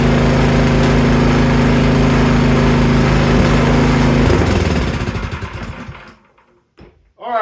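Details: Cub Cadet 524 snowblower, previously rough and smoky, after carburetor cleaning, in freezing weather; small single cylinder runs with a steady, even putter for about four seconds, then winds down and stops.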